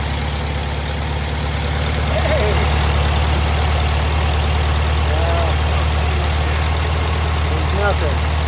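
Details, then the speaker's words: 1973 VW Thing with swapped-in VW Beetle engine: catches and idles with an uneven, lumpy beat, roughly three pulses a second, then dies as it runs out of gas; stiff, worn fuel pump suspected. "it's out of gas"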